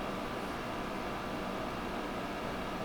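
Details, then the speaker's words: GE 5000 BTU window air conditioner running with mechanical controls; soft, even airy hush, no knocks, rattles or tones; blower-wheel indoor fan and extremely quiet outdoor fan barely audible from inside, owner unsure if it hurts airflow; normal fan operation. "makes it really quiet, and the outdoor fan is extremely quiet, almost inaudible from the inside. You can slightly hear it run, but it's a really soft outdoor fan,"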